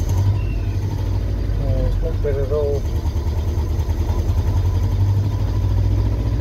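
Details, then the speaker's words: Land Rover just reassembled, started with a little choke and throttle: uneven, lumpy idle with a stumbling low beat like a David Brown tractor; still misfiring and running rough. "it doesn't sound very good still misfiring man that sounds pretty bad still"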